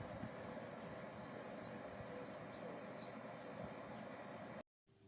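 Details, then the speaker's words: Desktop PC power supply fan after fixing its rattle and hum by adding two or three drops of oil: soft even airy hiss, running quietly with no rattle or hum. "после этого тщательно собираем все в обратной последовательности и запускаем компьютер и наслаждаемся тишиной"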